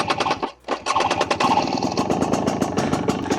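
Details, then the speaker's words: 2024 Husqvarna TE250 TBI two-stroke, unstarted for a while, at nearly 5,000 ft elevation: stumbles, then crackles and pops with ragged revs; a wrong start or warm-up on these bikes tends to foul the plug. "As you can see, I haven't started it up in a while, but the startup process is one of those things that was a huge issue on these bikes. If you started it up wrong, warmed it up wrong, it was gonna foul your plug."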